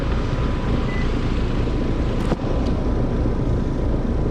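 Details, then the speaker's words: Heat pump outdoor unit, fan disconnected, defrost cycling okay, head pressure seemed normal; compressor draws about 10.3 A (11.5 A total). Steady heavy low rumble with a coarse rough edge. Compressor is the loud noise, judged about to fail and needing replacement. "That compressor sounds a little bit rough. Going in and out of defrost okay, but I think the loud noise she's hearing is the compressor."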